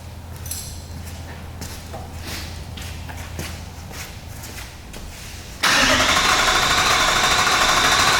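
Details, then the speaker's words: V8 LandCruiser first start after a starter motor replacement, with air expected in the fuel system. It cranks steadily for about five seconds, then catches and runs evenly and strongly: a clean, healthy start. "I'm expecting it's going to crank for a while because of the amount of fuel that came out. There's definitely air in there. At least it cranks."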